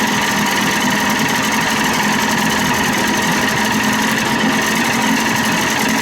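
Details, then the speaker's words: 30 hp Evinrude outboard, no thermostat, carb mixture at one and a half turns out, running after a throttle cable replacement: a steady engine note under a constant metallic scream from a faulty starter that stays engaged and drags. "sounds good that starter's screwed up that's what's making all the scream"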